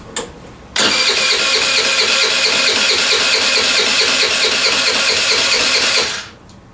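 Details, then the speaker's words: Scooter's first start after prep and oil change, fresh premium fuel, key on, brake held: about five seconds of even, fast starter whirring with no catch yet, normal long cranking while fuel fills the lines. "You can hear it getting a little bit closer because that fuel, like I said, is going through the lines."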